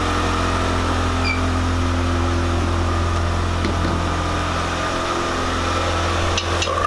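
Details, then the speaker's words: Mitsubishi Spyder after fresh stock exhaust fitted to fix exhaust leaks: petrol engine idles with steady even low hum, no puffing or ticking, much quieter; no leaks. "Jeez. Sounds so much quieter. Right? Honestly."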